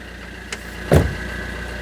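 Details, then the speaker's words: 2009 Fiat Doblo Cargo diesel idling out of gear after a new exhaust is fitted: an even, steady low pulse with no puffing or ticking. No exhaust blows. "So, we're going to listen for blows. Make sure she's out of gear. Sounds good"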